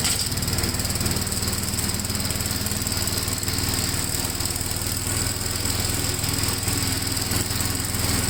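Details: 1957 Gravely tractor during mowing test after air cleaner service; even, steady single-cylinder thump with constant beat under mowing load, no misses or knocks; running healthy.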